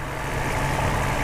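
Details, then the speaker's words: Mercedes SL600 V12, about 20 years old, bought broken: idling with a steady soft hum barely louder than a refrigerator, no knocks, misses or ticks. Normal idle. "Notice the engine. It's actually running right now, and other than the light hum that's only slightly louder than your home refrigerator, you would never know that the silky smooth V12 is running."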